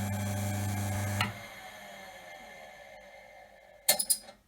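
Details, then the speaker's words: Second-hand Sherwood 12-speed bench drill press, 0.55 kW (3/4 hp): smooth even hum, no gurgle, quiet wind-down. Motor runs clean; owner suspects the grumble came from a loose drive shaft grub screw. "wow so maybe it was just our drive shaft so it was loose when i the grub screw was loose so maybe i just have to refit it and tighten it down and maybe that's all what's wrong with it"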